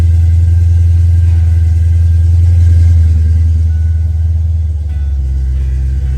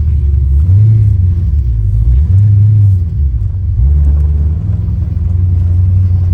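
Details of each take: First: Ford Foxbody Mustang with misfire, after swapping the distributor pickup and TFI module: heavy low rumble with uneven loping pulse changing as revs drop; misfire traced to a bad distributor, spare also faulty. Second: Ford Mustang Foxbody after distributor swap (pickup stator bad in both; plugs, cap, rotor, TFI replaced earlier): revs up and settles smoothly with no high-RPM miss at 4,000–5,000 RPM; normal running.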